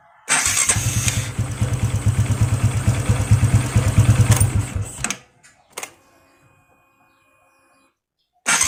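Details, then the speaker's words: Honda Wave 125i LED starter motor: loud, harsh cranking for about five seconds with an uneven, labouring beat; starter noisy and sometimes weak, owner suspects loose magnet or worn brushes, not yet checked. "และก็เสียงประมาณนี้นะครับมาค้างมันก็จะดังกว่านี้นะครับผมแล้วแต่สตาร์ทเป็นบางครั้งบางครั้งก็เหมือนไม่มีแรงครับ"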